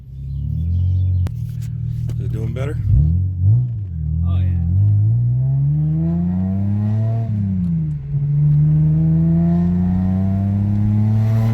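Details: 2006 Hyundai Tiburon 2.7 V6 five-speed, misfiring after engine wash; water in the spark plug wells, reassembled. Road test after fix: pulls smoothly through gears, pitch rising cleanly, no stumbles or misses; running properly.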